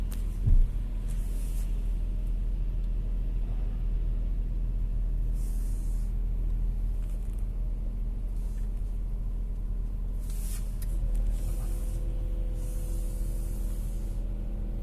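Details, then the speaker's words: Volkswagen Touareg idling: low engine drone with an intermittent extra hum, stronger at low rpm and changing with revs; owner suspects a belt idler roller or the power steering pump, possibly the AC compressor; power steering fluid change planned. "слышно вот такой звук. Зависит от оборотов. Может, какой-нибудь ролик так гудит. Больше на низких оборотах."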